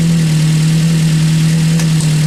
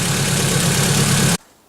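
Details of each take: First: Ford Focus just reassembled, idling steady with a constant low droning whine on top; owner hopes it is air still in the system that will clear, otherwise suspects the pump needs replacing. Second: Ford Focus running again after rebuild and drive belt refit: steady, even low idle rumble with no knocks or misses, then it cuts off abruptly; engine idling smoothly and healthy.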